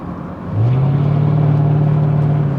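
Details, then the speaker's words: 1999 Jaguar 4.0 V8, said to be a 4.0 despite a 3.2 marking, driven after a crank-no-start issue. Deep, smooth V8 drone climbs steadily under acceleration, then holds an even note with no knocks or misses. Normal running. "but I really like the sound it sounds awesome but I would be a bit embarrassing pulling up to someone's house like this or maybe not I love it it sounds awesome"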